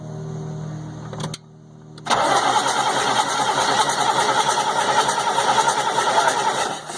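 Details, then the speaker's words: 1998 GMC C8500, Caterpillar 3116E diesel: starter cranks steadily about three turns a second but never fires; no fueling, injector not firing despite good high-pressure oil feed, suspected failed ECM. "Okay, so what we have is we have no fueling. The injector is not firing."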